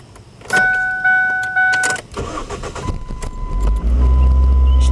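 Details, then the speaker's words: 2005 Ford Focus with the fuel pump fuse pulled to depressurize the line before a fuel filter change: the engine catches, runs unevenly for a couple of seconds, then dies as fuel pressure runs out. Engine stall from fuel starvation. "run for a second until the fuel dies, just like that. Maybe crank it another time."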